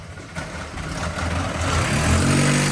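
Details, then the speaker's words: Nissan Micra K11 engine, first crank: catches and revs up smoothly with a clean rising note, no knocks or scrapes; sounds sweet, normal running. "yeah yeah oh she sounds sweet"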